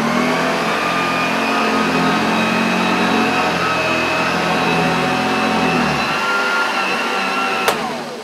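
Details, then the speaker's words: Unused 1975 Hoover Junior 1346A upright vacuum, running with brushes and beater bar: steady high whine with brush roll rumble, then cuts out abruptly, labouring; owner suspects the belt rather than the motor. "oh dear what has happened there something was struggling hope it's not the motor"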